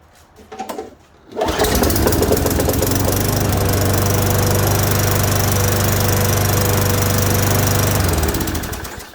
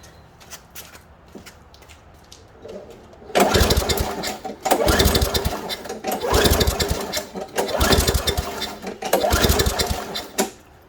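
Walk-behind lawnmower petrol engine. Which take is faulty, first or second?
second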